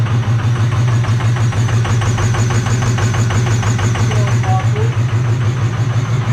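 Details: 2005 Ford 6.0 Powerstroke diesel just started on a new 6.4 starter: deep, loud idle with raw chuffing exhaust pulses about three a second because the exhaust came disconnected at the downpipe; shut off quickly.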